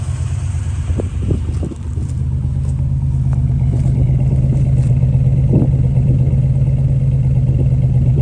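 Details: 1-owner 32,000-mile Buick Grand National turbo V6, abandoned in a back yard, started on a new battery: deep, steady low idle rumble that stays even with no knocking or misses; sounds good.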